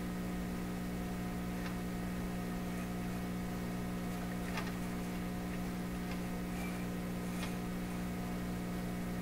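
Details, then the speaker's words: PYE 39HC shortwave broadcast receiver, fault appeared during work, top shortwave band where no signals expected: steady low mains-type hum with faint hiss, no station audio; cause not yet traced. "we'll go up to the top band. Okay, so that's the highest frequency again. I wouldn't expect to pick up any signals here. Just a hum."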